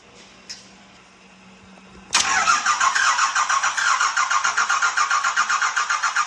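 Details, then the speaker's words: 1986 Ford F350 with swapped 5.9 L 12-valve Cummins, no coolant system fitted: the starter cranks steadily but the engine never catches; suspected air in the fuel because the fuel filter may not have been filled. "are you sure you filled that fuel filter cuz if you didn't fill that filter we're just pissing in the Wind"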